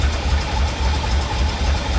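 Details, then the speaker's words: C4 Chevy Corvette rescued from a Florida swamp, mass air flow sensor disconnected: lumpy uneven idle with a low chuff about four a second, running rough; ignition timing being considered, cause not confirmed. "yeah it's not running any any better really"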